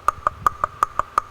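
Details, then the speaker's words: 1993 Acura Vigor main cooling fan, removed during radiator replacement: seven sharp ringing ticks, about five a second, as the loose fan spins down. It still spins and works, but its motor bearing sounds like it is starting to go. "It's starting to go. I mean, it still spins and it still works, but I'm going to have to keep an eye out for that because it sounds like the bearing in here is starting to go."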